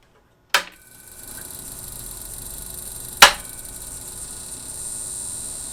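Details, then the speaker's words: Dell PC's Limited 286 power supply at first power-on during restoration, a tantalum capacitor exploded off camera: two sharp clicks about three seconds apart over a faint hiss; clicking suspected to be overcurrent protection, not confirmed. "The clicking noise sounds like it could be the overcurrent protection"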